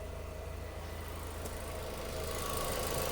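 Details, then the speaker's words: Mk6 Ford Fiesta ST150 after cooling overhaul (radiator, thermostat, coolant), hot idle, fan cutting in, no leaks: smooth even idle with steady radiator-fan whir rising slightly as it spins up; fan works normally. "there's the fan now whirring around. I don't know if you can see it or hear it, but it is definitely moving. So the fan definitely works."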